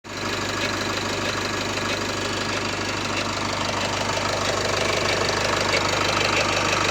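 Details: Nissan M9R diesel at cold start: a steady rapid knock at about three beats a second rides over the idle clatter and disappears once warmed up; cause unknown. Cold-start engine knock.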